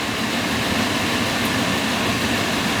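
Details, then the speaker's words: Field power venter whose owner reported loud running noise, bearings likely never oiled: steady even fan whoosh with no rattle, scrape or wobble; runs smoothly without vibration, judged fine and not needing replacement. "know nothing wrong with that thing that thing's running fine it's running smooth not vibrating or anything hear it I do it's fine"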